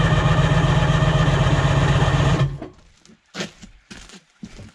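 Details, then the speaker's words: Sea-Doo HX jet ski with shaved head, compression tester on second cylinder: steady starter drone about four beats a second for two seconds; cranks better now, owner suspects rusty bottom end freeing up; reads 120 psi. "I'm not sure why the battery just turned that over better I maybe - maybe the bottom ends a little rusted up and it just had to free up a little bit"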